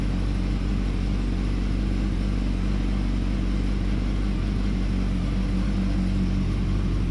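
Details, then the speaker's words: 2007-2008 Yamaha R1, cold start after shimming and welding slipper clutch retaining springs to cure basket rattle: steady low idle, even beat about 2.5 pulses a second, mic near clutch, no chatter; fixed, healthy. "We'll start her up, and you can hear that there isn't a chatter. The old cold start."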